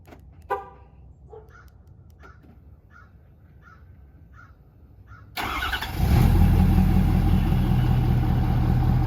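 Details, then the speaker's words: 2013 Ford Power Stroke diesel with free high-idle mod wired through the factory aux switch and a 22k ohm resistor: a few soft chirps, then it cranks, catches and settles into steady, even idle. "we're building about 3 lbs of boost there uh really good high idle really happy with how it turned out"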